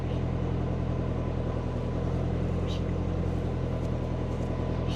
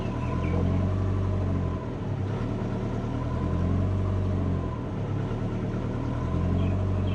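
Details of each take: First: Subaru Forester on Haltech ECU after lowering O2-control settings to about 22, before enabling long-term fuel trims: steady, even idle with no hunting or surging after a blip; normal idle. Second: Subaru Forester on Haltech ECU, idle tuning with O2 closed-loop control on, long-term fuel trims disabled, proportional gain at 75: after a throttle blip the idle keeps swelling and sagging and can't settle; idle hunting.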